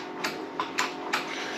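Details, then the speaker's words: John Deere 425 with a hard-start relay just installed for a starter that only clicked, 12.7 V measured: several crisp light clicks a fraction of a second apart in a quiet room. Relay switching normally. "which it don't make much noise but so I hit that I got my 12.7 volts"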